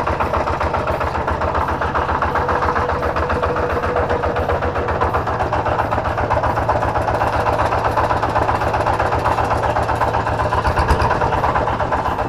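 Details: Kubota diesel on a tractor, easy start, good power and compression, fan bearing fine, heavy smoke: harsh, uneven idle with a steady knock about four per second; suspected worn flywheel-side bearing, not confirmed.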